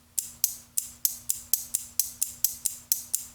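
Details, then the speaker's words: Relay driven by a transistor from a low-voltage button-cell supply, with no flyback diode across its coil: sharp, crisp clicks about every half second as it pulls in and drops out; still switching fine. "You'll hear it click. Hear it clicking on and off. So, this is acting as a switch right now."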